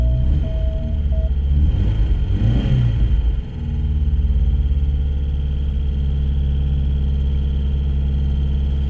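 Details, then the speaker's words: Porsche 944 project car, cold, coolant not yet added and some leaks: the engine catches and settles into a low idle with a thin, steady high whine from the electric water pump; owner hopes coolant will quiet it. "and that sound is the electric water pump that they had on the turbo models it is really expensive to replace so I'm kind of hoping once coolant gets in here that it'll quiet"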